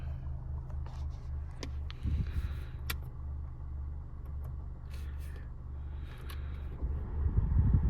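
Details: 2015 Honda CR-V, 112,000 miles, short test drive: dull low thumps and knocks through steady road rumble; front sway bar end link loose and bushings worn, both being replaced.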